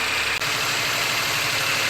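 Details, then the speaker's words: Daihatsu HiJet S83P mini truck after valve adjustment, warm: fast busy idle with hissy raspy top end that won't settle; choke stuck closed, not opening as heater hose warms. "Pretty high idle too. This isn't opening either. It's the choke."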